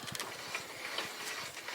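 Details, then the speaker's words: Dutton Lainson B2500 boat lift winch after repairing its internal brake, which had let it spin free: quick, even light ticks as it pays out under the boat's weight, controlled with no free-spinning. Normal unwinding. "and there we go it unwinds nicely luring the boat into the water so I would say that is a successfully repaired winch"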